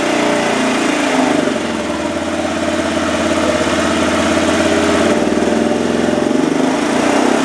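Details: 2007 Arctic Cat 400 ATV that sat a year and a half, after a carburetor cleaning and a new spark plug, warming up: a steady single-cylinder putter at a fast, even beat with no misses. The engine idles cleanly.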